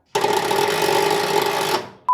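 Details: Engine unstarted for 42 years, not yet fully lubricated, tried through ignition relay on a battery: about 1.5 s steady whir with no cranking rhythm or firing; starter not turning engine, owner suspects insufficient battery.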